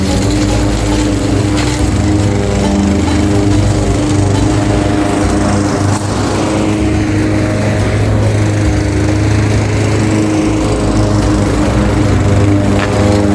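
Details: Craftsman 21-inch mower with Honda GCV160 5.5 hp engine, found with a dry tank, cutting at level-two height: a strong, steady drone holding speed, no misses, surging or knocking, pulling its load. Healthy; technically nothing was wrong.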